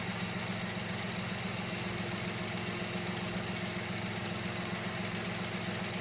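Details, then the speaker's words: Mini Cooper at cold-start idle with the engine cover off: a fast, uneven metallic rattle, two or three a second, comes and goes. Suspected cam timing tensioner or something loose, not confirmed. Intermittent engine rattle. "she's like right here and then she goes away hear that yeah i i i don't trust these engines i really don't we think something's loose in here the way it sounds"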